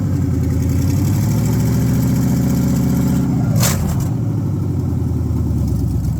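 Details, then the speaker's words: Pickup truck V8 first start after fitting new headers, check engine light already on: deep, even rumble holding steady idle with no ticking, puffing or misses; headers quickly hot; normal idle. "I mean, look, it sounds fine. It idles just Headers fine."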